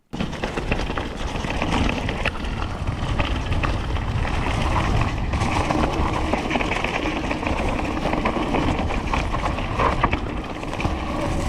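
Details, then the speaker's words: 2019 Canyon Neuron ON e-MTB with Shimano 8000 motor coasting down an uneven trail without pedalling: loose, uneven rattle over bumps with no motor whine, probably not caused by the motor. "as you can hear there is a bit of rattling noise here it probably isn't caused by the motor but that doesn't really matter"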